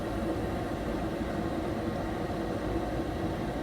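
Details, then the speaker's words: Gas furnace lights after the inducer exhaust fan purges and the gas valve clicks open, burners firing on the first try; a smooth, even rush of burner and fan with no knocks, rattles or surging, running normally. "there we go we got Heat man that that was Flawless worked perfect"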